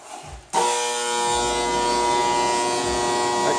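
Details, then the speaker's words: Welding machine at switch-on: loud, harsh mains buzz snaps on and holds steady; owner suspects metal shavings stuck in the TIG arc relay, noise has come and gone before but persists now. Welder buzzing at start-up. "I think the uh the relay in there that's used for like TIG, so the arc isn't on all the time. I think it's got some stuff like some metal shavings or something stuck in it cuz it's it does it's did it before a couple times and then it seems to go away."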